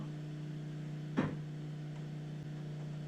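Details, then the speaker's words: Supercharged Nissan VK56 V8 in a Nissan Gloria on a Link ECU: the large main fuel pump, once switched on, gives a steady low electric hum with a brief click and no whine. "So the main pump's not going, the big one. So what I'm going to do is I'll just turn both of those on. Now it's going. That's the big one."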